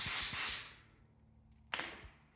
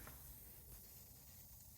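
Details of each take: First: New Craftsman compressor (175 psi max) after tightening a leaking fitting, regulator set to 80 psi: two short sharp air blasts from the hose that cut off cleanly with no lingering leak; normal regulated air flow, about 80 psi. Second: New Craftsman compressor (175 psi max) filled to about 170–175 psi, regulator being set to 80 psi: faint steady hiss over the compressor's low rumble, an air leak at a newly installed fitting, fixed by tightening it.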